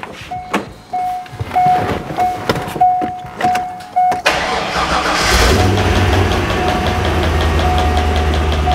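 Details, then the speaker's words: Supercharged C5 Corvette at startup: chimes, then an idle with a faint, steady tick-knock from the front in rhythm with the engine. This may be engine trouble or another front part moving in sync: rhythmic knock, cause unconfirmed. "that's an unhealthy noise and it's coming from the front and perfect rhythm with the motor which usually means you've got Motor problems and it could cost thousands of dollars in repairs"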